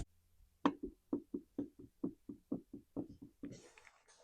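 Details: Husqvarna 345 chainsaw that the owner can't keep running, partly disassembled: slow uneven clicks, about two a second, as the engine is turned by hand; the clutch-side crank bearing is worn. Piston stained and carbon-fouled, likely from bad fuel.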